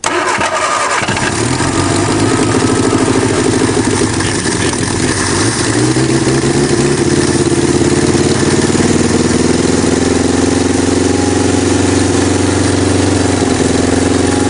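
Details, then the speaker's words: 1961 Ford Anglia, cold start after sitting perhaps 10 years, engine not seized, primed with gas, points unsanded: about a second of cranking, then it catches and keeps running, revs rising and falling under the throttle; normal engine start. "great amazing look Harry Potter We Are wizards we brought we brought the Dead back to life"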